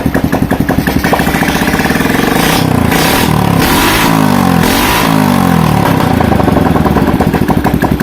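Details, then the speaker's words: Honda Revo motorcycle converted from fuel injection to carburetor, original ignition kept, no exhaust fitted: even, quick single-cylinder putter at idle, then two clean blips that rise and fall smoothly before settling back; runs normally after conversion. "Untuk hidupnya Mas Bro bisa dengarkan sendiri Mas Bro ya. Lamsamnya enak, digas juga enak Mas"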